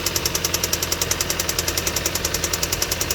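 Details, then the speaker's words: Audi just bought with a slight miss, at idle: fast steady sharp tapping about seven per second over engine hum, traced by stick-listening to a worn belt tensioner pulley knocking. "But yeah, it's tapping, it's knocking."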